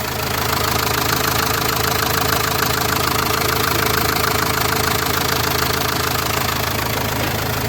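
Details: Renault Master 2 diesel minibus heard at idle after work on the front end, checked for a reported thumping noise: even, steady diesel clatter with a regular beat and no thumping or knocking; sounds healthy.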